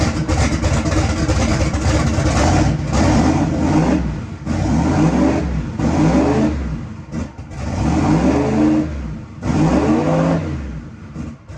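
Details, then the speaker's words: Chevrolet S10 truck first start after winter work, AFR gauges failed: engine revs up and drops back sluggishly with uneven pulses; timing probably locked out at 15–20° and can't advance, carburetor needs adjusting. "a little lazy of course the timing on it probably maybe 15 or 20° locked out and it can't advance so uh you know it's definitely not happy right there"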